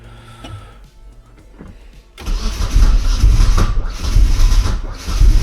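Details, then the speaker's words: Turbo Miata not driven in a while, battery about 11.7 V, after flood clear: quiet then loud uneven cranking churn, not catching; owner suspects flooding, worries about draining battery. Crank no start. "Yeah, it's not trying at all. Oh, I'm going to kill this battery, dude."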